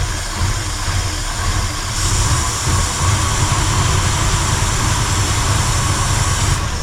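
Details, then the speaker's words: 1968 Ford F100 Ranger V8 long abandoned, idling with three plug wires pulled: deep uneven loping stumble, misfire; weak spark seen, runs same on 5 as 8 cylinders, owner suspects plug wires, plugs, coil or firing order. "It runs smooth on 5 cylinders and it was all 8 hooked up. My goodness somebody. I think we need plug wires and plugs and all that if we really want it to run right."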